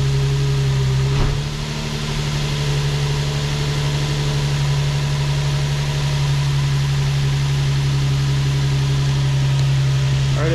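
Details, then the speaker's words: Nissan 350Z first start with a newly fitted 3D-printed ABS intake (velocity stack, MAF sensor, breather fitting), coupler unclamped: catches and settles into a steady even idle hum, no obvious hiss or hunting, no check engine light; intake leak unconfirmed. "right everything seems to be good so far started to run it seems to be idling okay and uh it's a good sign"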